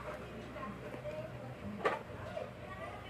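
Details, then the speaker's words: Sakura 737 amplifier with no sound, power transistors removed and powered through a series light: single sharp click at power-up over quiet hiss; protection relay engages, so fault lies in shorted power transistors. "Oh, yun. Okay, narinig nyo. Ibig sabihin nagre-relay na."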